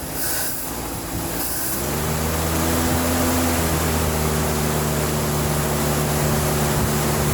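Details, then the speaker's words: 1976 Chevrolet C10 Scottsdale parked 40 years, new spark plugs, carb bowl filled, running on old tank gas: brief cranking, catches within two seconds, steady quiet idle with no knocks; hesitates if revved quickly. "I can't believe it's actually running off the old gas in the tank. It's idling smooth and listen to how quiet it is."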